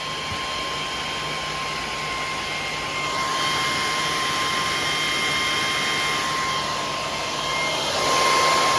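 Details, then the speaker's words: PowerJack 12000 W low-frequency pure sine inverter (AMG), lid off, after 6000 W load with MOSFET/transformer near 99–100°: steady high airy fan rush with faint fixed tone, loud but even; cooling fan running normally, still on after loads removed. "there goes the fan you can hear how loud that fan is still on"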